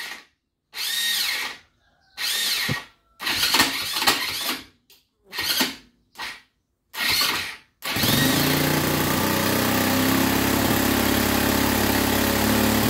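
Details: Abandoned Linhai ATV, first start after restoration with new gaskets, piston and rings: a string of short cranking bursts, then it catches and settles into a steady, even run with no knocks; sounds healthy.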